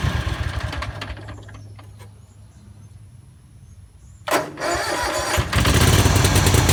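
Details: Yazoo MidMax 52 mower deck run without blades after installing cheap replacement spindles with the thinnest spacer: engine starts and runs evenly fast, no belt squeal or smoking; spindles end up hot but the deck runs normally.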